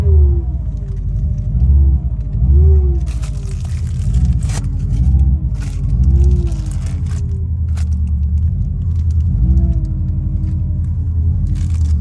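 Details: 2003 Subaru Impreza WRX GDA, EJ205 turbo engine, 5MT, 148,345 km: deep, heavy rumble at steady idle with a droning tone wavering up and down; abnormal engine noise, source unknown, to be disassembled and checked.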